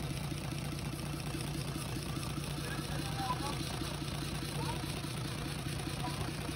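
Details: UD Nissan PKD 411 truck, NE6 six-cylinder diesel, during an oil-flow check with the tappet cover off: steady, even idle with a low chug around two beats a second and no knocks. Normal idle.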